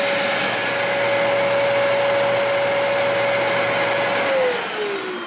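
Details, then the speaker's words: Cheapest Dyson upright vacuum running, measured at 70–90 dB depending on distance: loud steady high motor whine with even airflow roar, then a smooth drop in pitch as it switches off, healthy. "The cheapest Dyson in the lineup, about 70 to 90 decibels no matter how you look at it."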